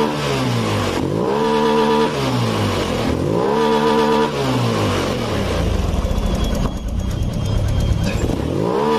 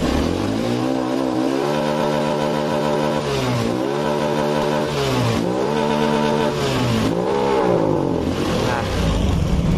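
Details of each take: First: Honda Beat Pop scooter after adjustment: revs up and back down at half and full throttle with a smooth, steady climb, no stumble or bog; normal revving. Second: Honda Beat Pop scooter with a faulty throttle position sensor, revved at half throttle: revs up and falls back cleanly with smooth rising pitch; normal at part throttle, the fault shows only at full throttle.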